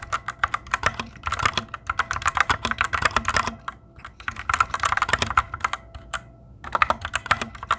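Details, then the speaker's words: Fantech Maxfit61 60% keyboard: fast irregular typing clicks with a thin metallic ring trailing each keystroke; spring ping from the switches, louder than the owner's Cherry Reds. "Tapos, napansin ko, medyo malakas yung tunog ng spring netong switches na to."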